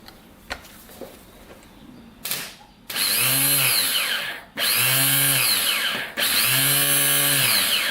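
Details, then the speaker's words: Starter motor removed from a 2001 Kawasaki Bayou 220 ATV and bench-tested, battery positive to one lead and the other grounded to the body: three short whirring bursts spinning up to a steady whine; starter spins freely and normally. "yeah so that's working you can see it's been here that's working just fine"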